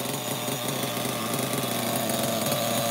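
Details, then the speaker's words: Losi XXL nitro engine at high revs: a rough, uneven metallic clanking that got worse once warm, with compression worsening. Owner suspects the rod hitting the crankcase or wear, and thinks it needs a rebuild. "yeah the sound is weird I know it sounds like some kind of metal metal clanking it's possible that like the rod inside is hitting the side of the crankcase or like something is worn"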